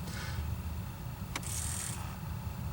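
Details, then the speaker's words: 2006 Pontiac Solstice HVAC temperature blend actuator motor after replacement, engine running: one crisp click and a brief thin whir as it steps one notch from full cold. Actuator working properly. "you see it's bouncing because the motor runs and moves it just a little bit each time you"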